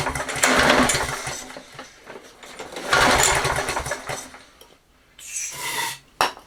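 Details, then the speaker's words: Toro 20789 mower, Briggs & Stratton Intek engine, restarted on starting spray sprayed straight in: catches, runs ragged a second or two, dies each time, as if no fuel reaches the carburetor; it held water and a blocked jet. "Ça fait comme si pas d'essence qui allait au carburateur, donc on va devoir le démonter. Il y a de l'eau. Il y a de l'eau dans le carbu."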